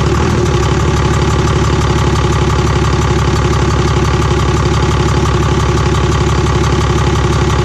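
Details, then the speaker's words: Cummins diesel truck after P-pump swap, running without its intake manifold: steady even idle with a loud rhythmic tapping from the open intake about three a second, expected to vanish once the manifold is fitted; engine runs well. "all right so truck runs phenomenal that loud noise you hear coming from the intake that sounds like maybe a knock or you know hiccup tapping noises from the just the way these luncheon sounds without an intake manifold on it"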